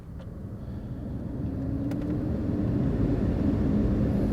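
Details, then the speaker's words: Heater blower fan in a 2010 Audi A3 after removal and refitting: even airy whoosh with a steady low hum building as it spins up, no rattle or squeal; it had just been slightly seized from disuse and now works normally. "seems to be working in all honesty i thought this would just be the first part of a video with me taking it out and then trying to figure out whether it's the fan or the speed controller"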